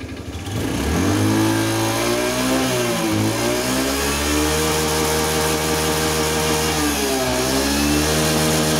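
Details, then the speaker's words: Honda Scoopy PGM-FI scooter: rough hunting idle with dull hollow clatter and thick white exhaust smoke; piston or valve seals suspected, teardown found a worn piston rocking in its bore, piston slap. "Suaranya kasar, terus keluar asap putih tebal. Itu kemungkinan piston ya, atau enggak seal klepnya."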